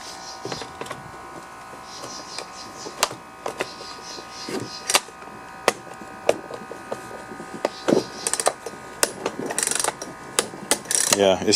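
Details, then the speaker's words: Husqvarna 120 chainsaw with a slipping pull rope: irregular dry plastic clicks and scrapes with no engagement. A metal protrusion on the recoil rides over the worn pulley hub tabs, so the starter skips. "i think that's what's causing it to uh to skip this little metal obtrusion or whatever this is sticking out here is hitting the tabs there"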